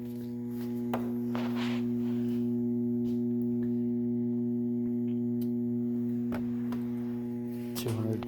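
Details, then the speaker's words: Metal halide lamp running on its ballast, lamp reading 354 degrees: a steady, unchanging low electrical hum with a buzzy edge, normal ballast hum. "And hear the ballast humming."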